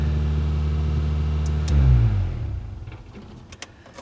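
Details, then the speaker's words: 1993 Geo Tracker that would not start, after cleaning the fuel injectors with carb cleaner: on a repeat start the small four-cylinder runs smooth and even with no misses or knocks, then is switched off and spins down cleanly; it sounds amazing. "she sounds so good she sounds amazing so you know what that means"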